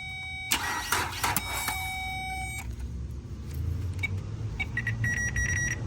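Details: Nissan Altima with new alternator and belt: short bursts of cranking with whining starter tone, scattered clicks and a faint low rumble, never catching; owner suspects a failing, sticking starter.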